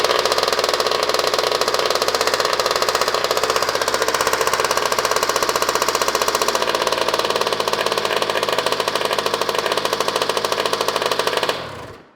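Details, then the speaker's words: Used two-stroke dirt bike with no silencer, fresh gas, starting on the first kick. Sharp, rapid, even popping at a steady fast idle with no misses before it cuts off. Motor runs well; normal running. "First kick, but it pretty much needs everything done to it. We are not going to rebuild the motor because it runs well, but we are going to swap everything that needs to be swapped."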